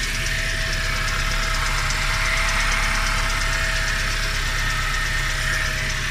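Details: Nissan Juke at idle: constant mid-pitched whine with quick, uneven light ticking about three times a second; abnormal noise, cause unclear.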